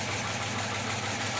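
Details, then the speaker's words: 2006 Dodge Charger 5.7 L Hemi, after checking coils, compression, sensors, PCV, injectors: idles fairly well but with fast light ticking over a busy clatter; owner suspects a failed lifter on the right side. "I think a lifter went bad. And I think it's on the right side too. I think a lifter just decided to crap the bed."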